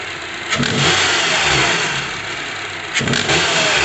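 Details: 2012 Honda CR-V: knocking slap from the top of the engine on start-up and on two quick revs, rising with speed. It resembled a VTC actuator or timing chain, but was a badly worn serpentine belt; pulleys were fine and a new belt cured it.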